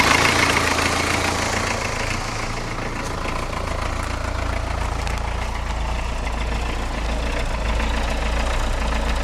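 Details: 1982 Isuzu I-Mark diesel running on a waste-vegetable-oil mix, roughly 149,700 miles. Cold start with the glow plug held longer than usual. It catches and settles into a steady, even clatter of about four beats a second with no misses: normal cold-start idle.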